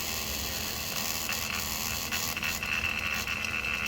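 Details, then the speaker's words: Car AC system being evacuated with a vacuum pump on the low-pressure line. A steady hissing drone with a thin, constant high whine as the gauge moves. The vacuum pump is running normally. "Now you see it's making a vacuum."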